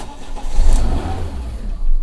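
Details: Fiat 500 Lounge right after starting with a new vacuum/intake pressure sensor and codes not yet reset. It settles into an uneven, surging low rumble instead of a steady idle, and the engine warning light comes on. The stored code reads intake manifold air seepage.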